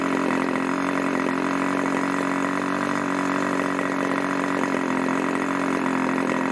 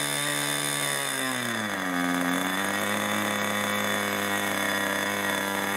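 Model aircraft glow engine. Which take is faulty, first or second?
second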